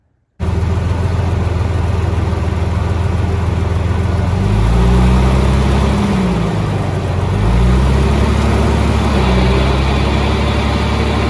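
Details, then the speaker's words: Jeep jacked up in four-wheel drive after new u-joints, front driveshaft connected, front wheels spinning: deep rough drone rising and falling in pitch; owner suspects roasted front differential gears grinding, not confirmed. "i jacked it up and with the front drive shaft connected i put it in for four-wheel to get the front spinning and yeah you can just hear it grinding away so"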